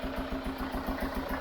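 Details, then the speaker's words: Chevrolet Tracker diesel at idle, not revved; a quick regular puffing chuff about six times a second over the clatter, blowing strongly; diagnosis is a blown head gasket, likely joining two cylinders. "a gente já tem mais ou menos o diagnóstico feito tá pessoal junta de cabeçote queimado deve ter unido os dois os dois cilindros né é porque tá soprando bastante"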